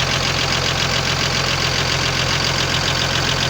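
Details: Cummins diesel idling with a sharp, regular knock about twice a second over the clatter; the cause was connecting rod small-end bushings, newly installed and machined for new pins by the owner without enough know-how.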